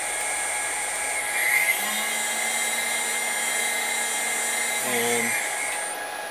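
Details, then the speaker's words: New spindle with VFD on upgraded 6040 CNC run up to 15,000–20,000 rpm; clean steady high whine, no grinding or rattle, quieter than old spindle: normal spindle running. "so there's 24,000 perfectly quiet I mean it's making noise but that's a lot better than the other one"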